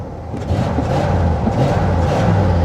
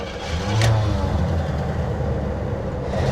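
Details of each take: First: 1979 Cadillac Coupe DeVille, 7L 425 cu in V8, about 68,000 miles, parked outdoors for 27 years, floored: a strong, even deep roar rising smoothly with no misfire or stumble. Acceleration is responsive, though it idles poorly. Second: 1979 Cadillac Coupe DeVille, 7.0 L 425 cu in V8, about 68,000 miles, parked 27 years; first start on five gallons of fresh gasoline after pumping the gas. Catches after some cranking, then a low, uneven rumble with surges, not running cleanly: hard start, rough running.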